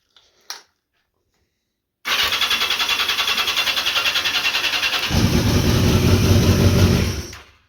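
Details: 1982 Yamaha XJ650 with a weak battery: starter spins evenly at three to four beats a second, then gets heavier and rougher but never fires; it would only start on releasing the button. Cause: bad ground.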